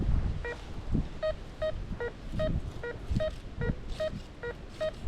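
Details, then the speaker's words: RM RICOMAX 1022 metal detector in discrimination mode (nail rejected) over a penny: crisp evenly spaced beeps about twice a second, same tone each pass, repeatable; target accepted reliably. "you keep hearing it, beep, beep, beep, beep, beep, repeatable."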